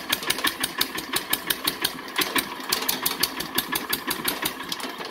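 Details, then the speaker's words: Kohler 10HP K241 air compressor engine just converted to low-pressure propane, first start: sharp pops at slow, somewhat uneven beat about two a second, below full speed; owner suspects adjustment needed. "well so far it did crank up and run and I smell it but it's not running at full speed so I'm not sure what it'll need to run at full speed"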